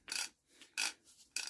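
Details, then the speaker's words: Barford Atom axle ratcheting hub, after cleaning out with WD-40 and oiling: three crisp, even clicks about half a second apart; ratchet now works every time. "hear that there we go one ratchet and hub fixed"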